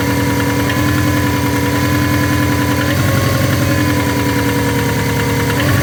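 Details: Subaru SF5 Forester engine at idle: faint, regular, even ticking knock riding over the engine note, unchanging; internal engine knocking at idle.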